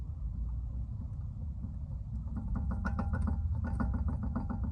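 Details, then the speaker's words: 2014–2020 Jeep Compass, engine idling: quick sharp clunks about four per second as the front end is rocked. Caused by play in a worn front ball joint from mileage; replacing the ball joint fixed it. "It's due to the play when you're writing. I don't know if we could get that on camera, if you could hear it, but it's the play. There's a lot of slack, so therefore it clunks."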